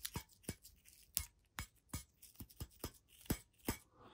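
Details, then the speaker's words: Loose fragment rattles inside a bad EL34 power tube from a Marshall DSL40CR combo amp, shaken by hand: light, glassy, uneven clicks and clinks; compared tube sounds solid; tubes replaced as a matched pair and biased. "that rattle so I'll pull this other one out different it's just solid a little bit if you bang hard enough"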